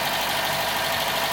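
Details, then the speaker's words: Mk3 Ford Fiesta petrol engine after refitting the cylinder head following a burnt inlet valve, previously never ran right: steady, even idle with a crisp, slightly raspy exhaust note, no knocks or stumbles, now running healthy. "Wow. I am so happy this Mark III Fiesta is finally running right."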